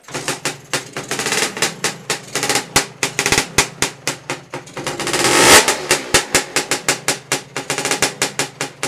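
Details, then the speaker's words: Lambretta scooter two-stroke just rebuilt after engine failure (barrel, piston, head, exhaust refitted), started third kick: crisp even popping about five a second with brief rev blip; normal clean idle. "here that sound again is just marvelous got the key to turn it off"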